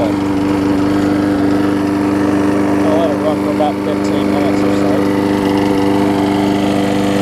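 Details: Husqvarna mower with aluminum deck and a transplanted engine, after a new gas tank, a replacement carb and a tune-up, started after priming. It holds a steady, even drone with a clean constant pitch and no surging or misses, running healthy.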